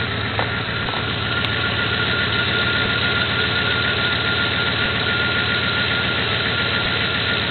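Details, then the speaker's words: 1994 Jeep Grand Cherokee 5.2L V8 that has trouble starting in temperature changes and humidity: it idles with a lumpy, uneven beat and a hissy background, a rough idle. "reading it's idling really rough right now"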